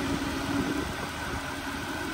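Quiet, even idle with a soft steady hum and no misses, ticks or knocks; a smooth, healthy engine.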